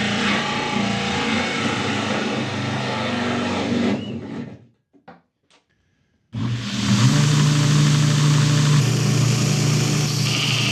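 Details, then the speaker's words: 2x72 belt grinder after a motor swap, on a new stand; steady hum, then grinding metal without bogging down, belt wobbling because it is crooked; normal running under load. "okay it looks good it's working well um little grinding on there it didn't bog down"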